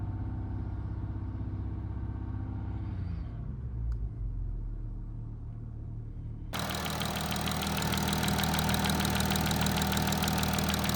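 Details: Low-mileage Audi A8 3.0 TDI diesel, about 30K and 6 years old, idling: steady mechanical tapping about three a second from the rear of the cylinder head; timing chain rattle from slack chain and worn camshaft sprockets.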